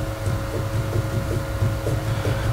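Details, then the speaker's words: Renault Clio 2 on axle stands, front right wheel rocked side to side by hand, engine off: soft dull clunks about twice a second; play traced to the steering, not the wheel bearing. "Je suis à l'avant droit de la voiture et je fais pivoter la roue de gauche à droite, et vous entendez ?"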